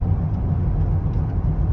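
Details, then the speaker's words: Driving: low droning hum with a wavy pulsing "bu-bubu" whoosh from a worn front wheel hub bearing; wheel was balanced, Chinese tyre suspected first; left front brake disc also found cracked. "Ревистый звук такой. Бу-бубу. Я думал, это колесо, нет, балансированно, либо кривая резина китайская."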